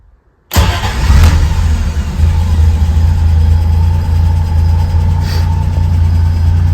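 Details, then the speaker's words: Triumph TR6 with a newly installed EFI kit, started warm with the transmission in neutral and the fuel pump audible. It catches instantly and settles to a slow, steady hum with no misfire; idle sits a little low and should creep up. "so you can see what I was talking about when it's iding a little bit low when it's cold but it should creep up here in just a second so"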